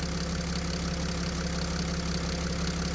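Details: Mercedes Sprinter OM642 diesel idling with flowmeter fitted: faint regular knock about twice a second appears when feed pressure jumps from about 2.5 and flow through the high-pressure pump drops from 60 to 50 L/h; injection pump drive knock.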